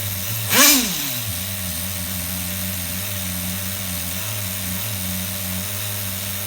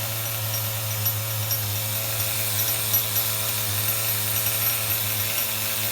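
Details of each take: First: HPI RS4 Nitro F150 nitro engine on the bench with no airflow after lowering the idle screw. It holds a steady buzzing single-stage idle and drops straight back after three blips, though the idle creeping up suggests it is still rich up top. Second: HPI RS4 Nitro F150 nitro RC truck bench tuning at operating temperature: high steady buzzing run with a heavy low drone and no crisp cleanup, as the bottom-end (low-speed) needle is still set rich.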